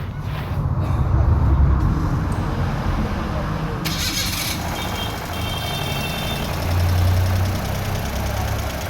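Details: Suzuki Alto three-cylinder, first start after timing correction and VVT cam reconditioning: starter cranks briefly, then a steady, even idle that is slightly loud; expected to quieten back to normal.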